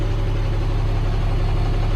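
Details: 2000 Stewart & Stevenson M1085A1 5-ton military diesel idling while warming up on a homemade 24-volt jumper pack, weak batteries. Deep even rumble, steady beat, no knocks or misses; good oil pressure, no warning lights.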